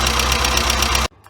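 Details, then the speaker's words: Weber 38 DGAS carburettor, after giving each of the two idle mixture screws an extra quarter turn to cure jerking and then lowering idle speed: steady, even idle with regular beat, no misses, then shut off; normal idle. "sounds much better already now we just need to lower the idle speed because we're giving it a bit more fuse and there we go"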